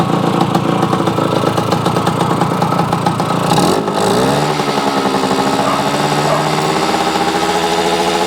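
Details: Yamaha AT-1 converted to CT-1, first start-up after rewiring, oil pump priming and carburetor fix, choke on, pre-mix fuel plus oil pump; crisp ringing two-stroke buzz, quick blip then even idle, no misses or rattles, normal.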